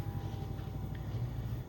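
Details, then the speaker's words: Chinese diesel heater installed under the seat of a 3rd gen 4Runner, wired to the battery, oil primed, on H3 mid setting. Soft even hum with a faint steady tone as the fan ramps up before pump clicking and ignition; normal start-up. "if you have ever messed with these they kind of ramp up speed and then the pump will start clicking and then you can hear the igniter and the fuel start to burn"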